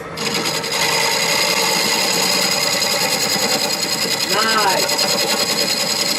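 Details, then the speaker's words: Beginner's woodturning lesson, gouge cut on the lathe: steady, even hiss of the gouge shaving wood with no chatter, pumping or rattle; no longer fighting the tool, a clean, smooth cut. "Now if you look at what you just did, you're going to see a night and day difference from what I just showed you on the cuts on that, where you're fairly clean right now. You can tell because you're really not fighting it as much, and the cut is coming up just smooth."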